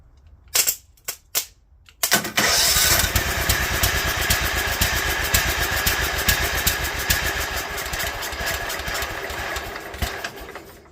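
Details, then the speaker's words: Toro Wheel Horse 265 tractor on an IV gas feed, choke on, throttle up, coil checked, different starter: cranking bursts, then it catches and runs with an uneven, lumpy, surging beat; erratic rough running, owner suspects something internal. "that was really screwed up why did it act that way this thing's got something really wrong with it"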